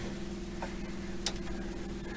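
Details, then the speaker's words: VW 2-litre air-cooled engine with 2000 km since top-end rebuild, engine off: noisy aftermarket electric fuel pump on homemade relay wiring gives steady rapid ticking over a faint hum while priming; normal. "Now you can hear that fuel pump running."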